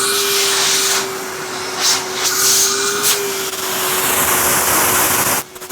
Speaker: That sounds healthy.